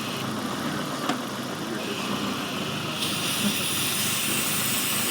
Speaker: let's leave it you can definitely hear that leaf very loud but how many guys have not heard it like that but the car is idling funny right it won't hold an idle this is a vacuum link